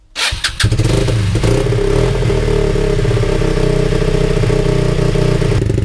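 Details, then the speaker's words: Lexmoto 125 single, sat three hours, cold start: starts readily, then fast, uneven, lumpy idle around 3,000–4,000 rpm with an occasional misfire stumble; revs later drop near 1,500 and it struggles to stay alive; high lumpy idle with misfire. "it's really money quite high if I leave it running for longer the Reds go down it's running about three or four thousand ribs"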